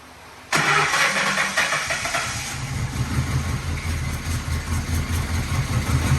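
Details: 1997 Lincoln Town Car Signature revved to blow out the exhaust: cranks and catches, then settles into an uneven, pulsing, sputtering idle; catalytic material blew out and exhaust stays nearly cold, exhaust/cat restriction suspected, not confirmed.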